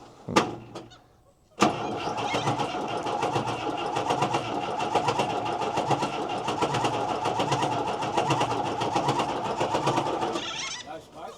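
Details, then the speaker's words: Mercedes-Benz 911 4WD diesel truck that sat for years, first start attempt: a long, steady starter churn at an even beat with no firing and no smoke. It won't start because it isn't getting fuel. "No smoke. No, we don't want to burn that starter out. It sounded like it may have been trying to wind a bit quicker then."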